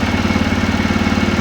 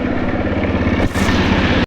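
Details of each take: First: TVS Raider motorcycle after fixing an engine noise by checking the tappets and timing chain and resetting the timing: a steady, even low thump at idle with no ticking or rattle, now fine. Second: TVS Raider motorcycle idling: a rough, clattering knock over the exhaust beat, from a very loose timing chain found after removing the head cover.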